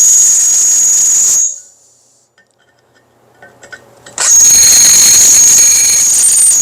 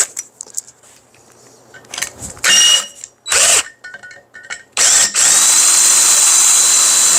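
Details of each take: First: Roughly 1/4-inch drill bit in a drill press cutting metal: piercing, steady squeal while cutting that stops when the bit lifts and returns just as shrill; the bit is dull and rubbing but still removes some metal. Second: Drilling metal with a sharp bit, after a dull bit had squealed: handling clatter, then a steady, even high-pitched cutting hiss with no squeal as chips fly and the bit cuts cleanly.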